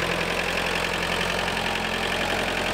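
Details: Tractor diesel started after replacing the fuel filter assembly, without bleeding at the injectors: settles into a steady, even idle with regular clatter and no stumble or hunting; runs smoothly.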